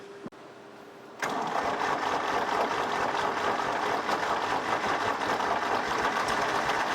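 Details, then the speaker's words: 1964 Lamborghini R2 diesel tractor, injector lines cracked and retightened during bleeding: a click, then the starter churns steadily at about three and a half beats a second with no firing catch; cranks but won't start. "all right let's see if we can get this thing to fire think it's going to need a little more juice to kick it"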